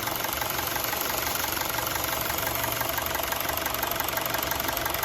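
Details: CNG Honda City idling after repair: smooth, even, steady pulse with light valve-train ticking; the vibration when stopped in gear, traced to a leaking second ignition coil, is gone.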